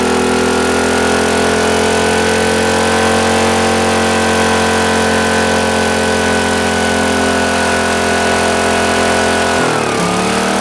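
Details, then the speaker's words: Used Green Lee 5000 W generator bought at auction, missing air breather and kill switch, carburetor bowl just checked: steady high-pitched fast drone, briefly dipping near the end; runs but speed sounds too high, not confirmed. "but she's a runner but this generator work and is that really where it's supposed to run on speed that sounds a little a little quick for me but I don't know"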